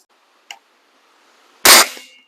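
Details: Webley Eclipse air rifle before a home tune (soda-bottle top hat): sharp crack on firing, then a short metallic buzzing ring that trails off; mainspring buzz.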